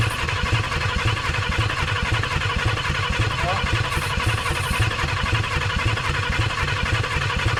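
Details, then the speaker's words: 1951 Chevrolet Fleetline project, first start attempt with a squirt of starting fluid and the microphone down at the engine: a steady, rough chugging pulse of about two beats a second as it coughs briefly into life. "She coughed into life. She coughing."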